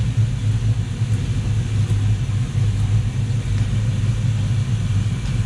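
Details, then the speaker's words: Luhrs 28 twin 350 Chevy V8 inboards on a warm day after shift and throttle cable lubrication; starboard engine idling about 1,000 rpm, being brought down slightly (other one tends to almost die when lowered): steady low even rumble, no misses or knocks; normal idle. "Okay, so we're about 1,000. I'm gonna bring this one down just a hair. Starboard side."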